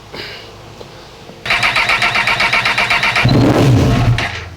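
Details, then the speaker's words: Honda CB1000R with Power Commander, new rectifier and starter motor, crank no start: starter whirs steadily, engine catches briefly then fades; ignition confirmed, fuel pressure 50 PSI ruled out, injector signal to be checked. "So, I'm going to have to look at the uh fuel injectors and see if we're getting a signal from them."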